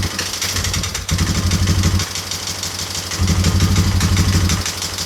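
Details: Yamaha Wolverine quad after fuel leak and running repairs, reassembled: single-cylinder thump idling steadily with slight throttle blips, no misses; runs normally.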